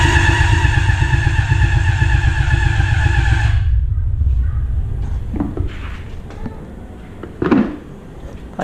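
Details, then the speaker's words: Honda CBR600RR engine in an off-road go-kart rebuild, cranked with starting fluid sprayed in and no coolant yet: a laboured starter whine with slow, uneven pulses about four a second, stopping without catching. The battery is suspected of lacking the cold cranking amps. "I honestly don't think that this battery has the cold cranking amps to start this thing"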